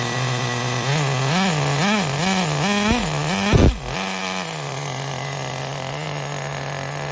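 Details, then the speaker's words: 2006 Traxxas Nitro 4-Tec 3.3 (model 4809), first starts after disassembly, cleaning and rebuild of the TRX 3.3 engine: high buzzy nitro revs in quick blips, then a steady clean idle; it runs well, though it may still need tuning. "He runs like a top. Sounds good, eh? It sounds really good."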